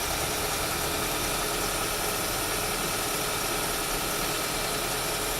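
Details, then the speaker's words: Audi Q5 turbo after a misfire and EPC light repair with new injector, spark plugs and ignition coils. Steady, even idle with a smooth hum and no stumbles; no more misfires. "so it's running I don't have any misfires"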